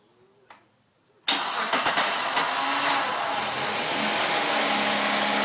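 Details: Suzuki Vitara V6 on a warm start: a busy, clattery metallic rattle over the idle that doesn't worsen with revs and gets quieter if anything. Worn timing chains and tensioners are suspected.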